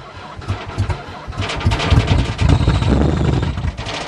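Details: Chrysler van, not started since November 2006, sprayed with lots of ether (starting fluid): starter cranks, a few ragged uneven firing bursts catch briefly with a little smoke, then fade; engine fires briefly on starting fluid then dies.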